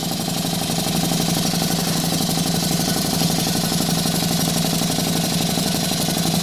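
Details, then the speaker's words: Stuart 4 steam engine under live steam at 13 psi, cranked up in speed, exhausting into an old propane tank chuff pot: quick, even exhaust chuffs roughly two per second, steady beat, no knocks; normal running. "we're gonna crank it up a little bit watch it run sure puts out a lot of steam it's just an old propane tank or chuff pot there"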